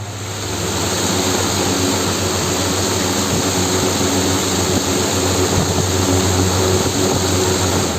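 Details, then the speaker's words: Old-model 18-inch exhaust cooler fan motor (24-slot, 2-inch stator) after rewinding, new bearings, an 8 capacitor and plastic blade: a steady, even whoosh at full speed with a smooth hum and no rubbing or bearing noise. Runs fast and healthy. "तो दोस्तों काफ़ी अच्छी speed ये दे पा रहा है। जो 1.5 इंची कूलर आता है उससे भी काफ़ी ज़्यादा स्पीड ये दे रहा है।"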